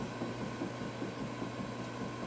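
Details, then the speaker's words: 2008 Ford Mustang Base jacked up, front wheel rocked top to bottom by hand: faint, light knocks over a quiet hum, indicating a loose, worn front wheel bearing needing replacement. "you can hear the little knocking going on so that's that means i have a loose wheel bearing so that needs to be replaced right"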